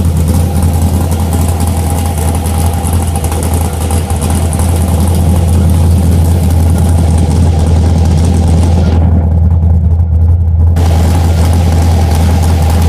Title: LS454 Rough Idle